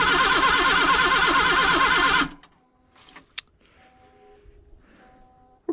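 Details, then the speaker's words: 1979 Datsun after sitting about 30 years, with gas poured in: quick, even cranking at about three beats per second that never fires. The battery cable overheated and smoked; owner suspects bad points or coil. "ahead and clean the points i was hoping she'd run without doing that so i don't know what's going on"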